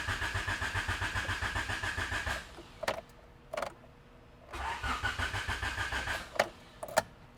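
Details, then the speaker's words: Honda EF Civic with non-running stock D15, after a squirt of starting fluid: two bursts of even cranking, about 3.5 pulses per second, never catch. No fuel reaching the engine. The pump ran at first; fuel pressure still to be checked. "Okay, we don't have gas. So that's got to be what the problem is."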